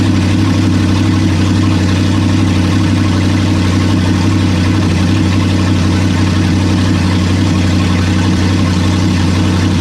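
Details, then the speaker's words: Toyota 1UZ-FE V8, 29 years old, abused with oil leaks and cheap aftermarket parts, first bench start: deep, steady idle with even low rumble, no misses, knocks or ticks; runs smoothly and sounds healthy. "it runs man I love this [ __ ] and it sounds cool as hell"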